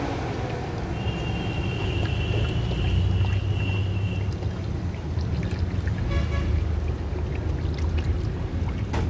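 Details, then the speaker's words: Freshly assembled Suzuki Alto engine on its first test start after the radiator was filled with water. It catches and settles into a steady, even low hum under fan noise with no knocks or misses; started successfully. "Now we have started the engine successfully. Started, so well done. Successfully."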